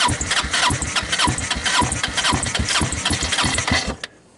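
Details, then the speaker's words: Hammerhead Twister 250 engine, starter solenoid jumped, on starting fluid: fast cranking with uneven firing pops about twice a second, then quits; not seized but water in oil found; carburetor suspected, rebuild or replacement planned. "guys hear that right it is trying to start I love it"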